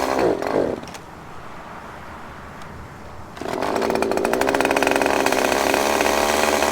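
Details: Husqvarna chainsaw said to need carb work, started on choke: brief burst, lull, then a buzzy, slightly wavering run. It probably just needs a tune; the limited-travel carb screws restrict adjustment.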